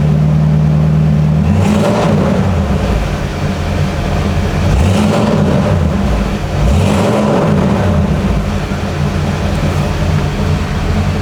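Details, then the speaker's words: 1950 Ford Custom Deluxe with 302 V8, block hugger headers, dual Cherry Bomb mufflers; deep burbling rumble, several clean rev swells settling back to steady idle; healthy. Normal idle and revving. "We'll fire that motor up, let you hear what that 302 motor sounds like."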